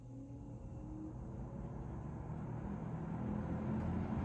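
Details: GE W22 fan after service, started on low: low smooth hum building as motor spins up, no shading-coil buzz or rattle, running healthy.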